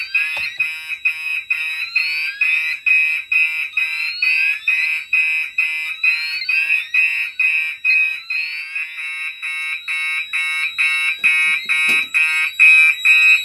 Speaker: If it lets me set it on, that's going to trip the sxl-ex, and that means it's not set correctly, so let's go ahead and try. Yeah, that's not right. Alright, so that tripped the SXL.